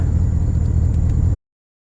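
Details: 2006 Porsche Cayenne S (955) 4.5L V8 after replacing the EVAP canister purge valve and clearing P0441 codes: brief steady, deep idle with no hunting or dropouts before it cuts off; idling normally.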